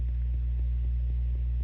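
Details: 1965 Fender Deluxe non-reverb amp, no playing, mic right in front of the speaker: steady deep unchanging hum, 120 Hz ripple from the unfiltered bias supply, before a cap is added from bias pot wiper to ground.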